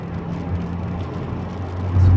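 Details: Rear wheel bearing on a VW Golf Mk3 cabriolet after replacing the worn one, road-tested at speed: only a low, even road hum, no whine or grinding growl, much quieter than before; the bearing sounds good.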